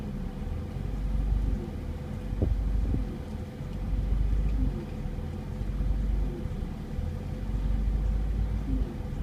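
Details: NA6 Mazda MX-5 Miata just fitted with an ASI 52mm radiator, idling with A/C on: idle swells and sags roughly every two seconds until A/C off; caused by an air bubble in the cooling system, since fixed.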